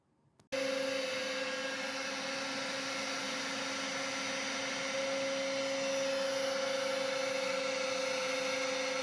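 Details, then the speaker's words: New 5 hp spindle on a heavier-duty plate on a CNC router table, with the shop vac running; steady high whine over an even vacuum rush, no wavering or grinding. Spindle got lukewarm, then stopped warming; runs normally. "looks like everything is working good with the new spindle at first i was getting a little concerned about how warm it was getting"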